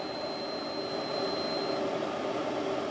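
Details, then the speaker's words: Off-grid cabin drawing about 600 W from an energy storage unit while the residual-current breaker keeps tripping: thin, steady high whistle over a constant electrical hum; owner wonders about fan bearings, source unconfirmed. "Ciekawe czy by łożyka na wentylatorach."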